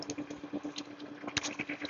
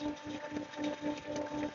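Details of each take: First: Jet pump 375 with pressure tank, tap adjusted until the ammeter holds steady at 19 without rising or falling: even motor hum, quick steady pulsing, no surging or rattle; balanced, normal running. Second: Jet pump 375 with pressure tank, tap opened wide: steady motor hum with uneven surging gurgle, almost no water coming out; pump drawing air.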